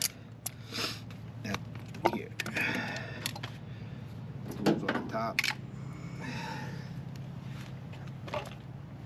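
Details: Outdoor AC condenser after a broken contactor was replaced: a steady low compressor hum under a fan whoosh, with clicks and handling noise. About 15 amps on start and almost 20 amps compressor running load; the unit runs evenly and sounds healthy.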